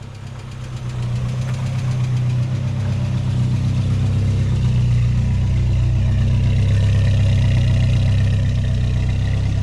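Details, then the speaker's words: 1987 MK2 Jetta after 3-speed automatic to 5-speed manual swap, original exhaust retained; steady even four-cylinder hum building and settling smoothly with no misses or knocks, running healthy. "It would have been cool to swap the entire exhaust in the car, but she still sounds good. So, no complaints."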